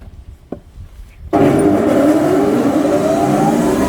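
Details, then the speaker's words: Krasny Metallist SR6-10 thickness planer, 600–630 mm planing width, three motors (main, raise/lower, feed), two feed speeds 8–16 m/min, after restoration in May 2021: comes up to a steady even drone with no knocks, running normally. "Две скорости подачи 8-16 метров в минуту. Показываем станок в работе."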